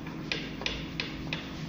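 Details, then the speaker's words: Spare UAZ 417 engine, bare crankshaft turned over by hand: sharp, evenly spaced knocks about three per second from worn connecting rod bearings, which the owner plans to inspect and replace. "этот двигатель на нем проверну 32 шатунного вкладыша вот слышно стучит"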